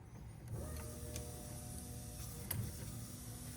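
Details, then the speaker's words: BMW E30 318i manual with a starting problem; with relay terminals 87 and 87b jumped to constant power, a faint, steady electric hum under quiet background clicks: fuel pump running normally. "so I've already got it in 87 87b remember it's mirrored from that picture there and you hear that that's our pumps run it"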